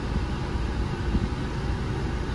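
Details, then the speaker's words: 2013 Hyundai Tucson 2.4L after AC compressor replacement and recharge via low side: steady idle under AC load with smooth fan rush, no knocks, rattles or squeals; blowing cold, AC operating normally. "Already you could feel it. It's blowing pretty cold already."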